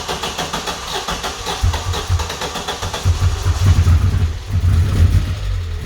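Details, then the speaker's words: 1994 Vauxhall Astra GSi, C20XE Red Top engine, cold start after injectors were removed and cleaned and a new battery fitted: long uneven cranking with sputters before catching, then rough surging, stumbling revs, attributed to air in the fuel system. "as you saw then the car eventually started up and obviously there's going to be a bit of air in the fuel system after taking the injectors out and cleaning them"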